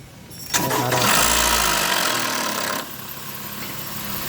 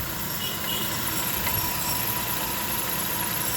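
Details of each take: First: 2020 Honda Odyssey cold start during oil change, previously noisy engine: harsh metallic rattle as engine catches, fading within seconds into steady idle; timing chain rattling before oil reaches the top. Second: 2020 Honda Odyssey after oil change, previously noisy engine: started, quiet even idle with soft steady hum, no ticking or chain rattle after the brief start-up chain noise; normal idle.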